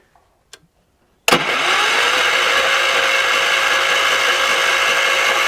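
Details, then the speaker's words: 1978 Wheel Horse C-121 garden tractor on jump box: steady fast starter churn, three or four beats a second, never catching; power reaches the coil but no spark comes out, cause unknown. "So there's power going to the coil, but there's nothing coming out."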